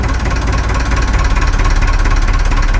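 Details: Perkins 4236 marine diesel in a boat that sank, just after first startup; deep even chug around two beats a second, no knocks or misses, no leaks. Normal idle.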